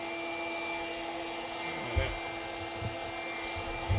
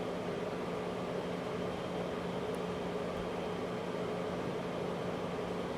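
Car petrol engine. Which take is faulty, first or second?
second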